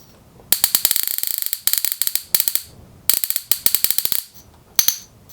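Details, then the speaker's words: Miles Hivolt IT30 hipot insulation tester at about 10 kV output: sharp crackling snaps in fast bursts and rattling trains, then pauses; output connector is breaking down and arcing, likely needs an insulated plug. "well unfortunately I don't think we're going to back to go over 10 kilovolts because this connectors breaking down I think it needs a an insulated plug in it"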